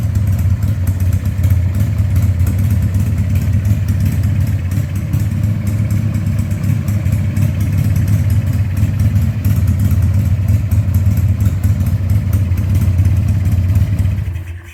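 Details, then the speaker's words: 2000 Harley-Davidson 1200 Sportster V-twin after a carb rebuild and leak fixes, restarted with the air cleaner back on: a steady, even burble at settled idle with no misses or pops before shutdown, running much better than without it. "Yeah, it liked that a whole lot better, didn't it? That's because it's designed to have an air cleaner on it."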